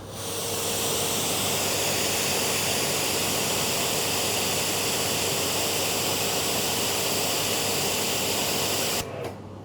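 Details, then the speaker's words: Active 3.0 pressure washer (rated 3 GPM), 50-ft hose, 40° nozzle, PSI test reading 846 PSI with heavy flow and strong kickback; strong even hiss steady nine seconds, clean cutoff; pump working as it should. "846 PSI. I have to say it does not feel like 846 PSI because there's so much water flow coming through. It has a lot of kickback, like a lot."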